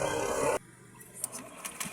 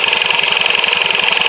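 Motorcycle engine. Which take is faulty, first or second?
second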